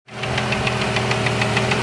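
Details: 1989 Jeep Cherokee XJ with a 4.6L stroker I6 (Renix), running hot: sharp, evenly spaced knock about seven a second over a rough idle; internal engine knock suspected, cause unconfirmed.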